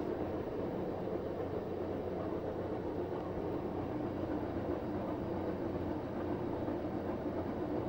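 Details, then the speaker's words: Samsung WF9904RWE direct-drive washing machine, empty drum, eco drum clean cycle reaching 70 °C with a little powder: low, smooth, steady hum as the drum spins fairly quickly, no knocks or rubbing; very quiet, normal. "the drum spinning fairly quickly but as you can tell it's hardly making any noise because it's got a direct drive murder so it's very quiet very quiet"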